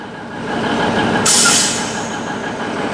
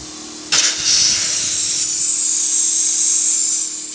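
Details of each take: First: 1971 Autocar A64F truck at low idle with a temporary fitting, after pressurising (previously too little air): switch flipped, a sharp one-second hiss fades as the air brakes release. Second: 1971 Autocar A64F truck, engine idling: steady loud hiss of escaping air; the brake valve blows air to the brakes continuously unless its control line has air.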